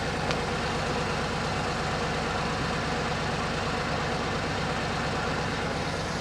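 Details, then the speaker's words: All-original 1966 Corvette with 63,600 miles, engine rebuilt in 1993 for unleaded fuel, at idle: smooth, even low burble with no misses, ticks or knocks; sounds much better than when driven home. "Well, the car sounds a lot better than when I drove it home."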